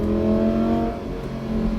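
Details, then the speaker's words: Lamborghini Gallardo with an E-gear fault, owner believes low voltage despite a new battery, stuck in second gear: engine drones steadily at about 5,000 rpm at 48 mph and cannot upshift; clutch tested about 300 miles earlier. "You can hear I'm revving at 5,000 RPMs at 48 miles an hour because of my E-gear malfunction."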